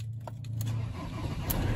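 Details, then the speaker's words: Old 2008 Ford Transit van cold start after water flood damage: dull clunk or two as it cranks and catches, then runs rough and low; clunk cause not found. "so it's not when you start it he just doesn't sound right he just clunks a bit listen"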